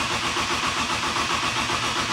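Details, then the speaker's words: BMW E30, just back from the frame shop, fresh gas in the tank: a steady, even cranking rhythm with no catch or firing. It cranks but won't start because the cam sensor was left unplugged. "all right hold up something's not right look oh it's not plugged in up there oh the cam sensor that would be nice"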